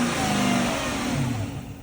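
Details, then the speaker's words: 2007 Chrysler 300 with 5.7 V8, odometer 200,496, jump-started: a short blip with the pitch rising and falling smoothly, no knocks or rattles. The engine sounds healthy. "engine, as you can hear, has the 5.7 V8 in it. Sounds very good."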